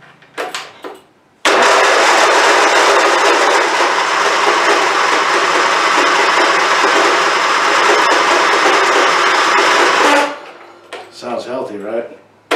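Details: Abused, long-unmaintained Craftsman YT4000 hydrostatic riding mower, hood off: steady, even cranking for about eight seconds that never fires or catches, every time. No fuel reaches the filter; hard start from fuel starvation, dirty carburetor idle jet.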